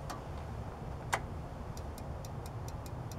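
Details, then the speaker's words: Lawn mower troubleshooting: sharp clicks from a safety switch, then a loud starter relay snap and light ticking over a hum, showing the switch is good. "that switch is good because you can hear the relay okay"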